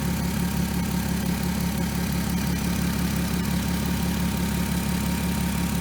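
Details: 2003 VW Eurovan VR6, warmed-up idle after timing chain, guide, tensioner and sprocket replacement: even, low steady hum, no ticking or rattle from the front; chain noise fixed, engine running smoothly.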